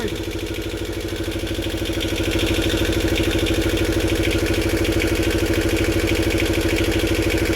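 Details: Unidentified roughly 40-year-old diesel in a Snapdragon 24 boat: even, regular knock about two beats a second, firming up as it settles, no misses; running healthily, driving the shaft forward.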